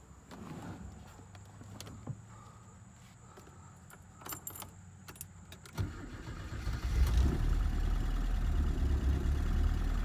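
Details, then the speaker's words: 1983 Porsche 944, first start after sitting 20 years with rebuilt head: rattling while cranking, then rough running with an uneven tap; misfire because cylinder 3 injector connector wasn't seated, much better once plugged in. "all right so you could hear a tapping sound as the engine was running and that's actually because it looks like we didn't get number three plugged in very well down here"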